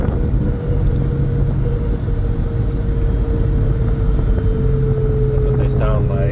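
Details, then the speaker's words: 2014 Mustang GT on its first ride after home-installed 4.56 rear ring and pinion gears: steady mid-pitched whine over road rumble; rear gear whine suspected. "it's not real loud it's I mean you can hear it and it does have a wine to it and it but it doesn't really get louder when you go on the interstate"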